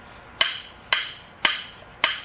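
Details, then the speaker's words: 2013 Ram 2500 Cummins diesel front shock absorber worked by hand, giving sharp hollow clacks; it had leaked oil and worn out, causing thumping over bumps, replaced with Bilstein shocks. "That's the thumping I was hearing. And I knew it had been leaking oil for a while because it was getting greasy, but it's obviously finished going out."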